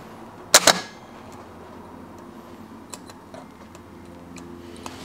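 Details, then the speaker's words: Starter motor removed from a 1998 Porsche Boxster with Audi V8 swap, bench-tested on a jump pack: two sharp solenoid clicks, then no spin; starter seized and locked up. "maintenant on dirait qu'elle est frite ouais ça a l'air li ke c'est frit donc euh si je le frappe, je peux libérer le solénoïde là-dedans mais ça ne tourne toujours pas"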